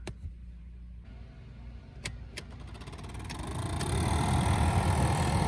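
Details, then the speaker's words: 1999 Toyota Camry cabin blower motor humming then speeding up into a rushing fan sound with scattered sharp ticks; motor suspected to be on its way out, to be replaced with a new assembly. "that ticking noise I mean some motor is on its way out"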